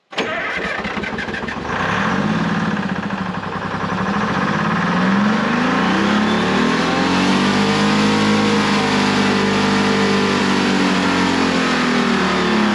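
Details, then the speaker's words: American 25 excavator with Detroit Diesel 6V53, first start after two years with the injector rack checked: it catches and the pitch keeps climbing, starting to run away. The throttle didn't control it; the shutoff was hit, cause unknown. "that sounded like it was starting to run away I had to hit the shut off and then when I hit it it actually seemed to slow down"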